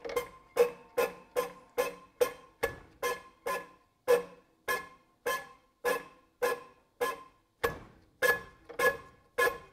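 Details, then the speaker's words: TD15 dozer diesel injector on a hand pop tester, after a leak: crisp, sharp chirps with each pump stroke, about one and a half a second; good chirp, injector may clean up and work. "what you want to hear the chirp this one might actually clean up and work"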